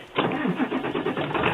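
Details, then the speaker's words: 2001 Ford F-250 cold start after earlier failed tries, with the battery charged and the oil preheater used: short burst of cranking that catches into a steady running engine without stumbling; clean, healthy cold start. "nice sounds like a beauty"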